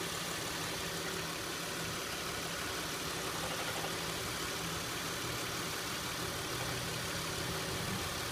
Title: 2006 Acura MDX rattle noise at idle.